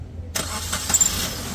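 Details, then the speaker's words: Maruti Suzuki Wagon R petrol, K-series engine, with months of long cranking and late starts when cold, after repair: short crank, engine catches almost at once and settles to an even idle; starting problem solved. "मजा ए गया यार इसका मतलब क्या कहते हो क्या कहते हो जी मजा ए गया अब का सकते हैं बिल्कुल प्रॉब्लम सॉल्व हो गई"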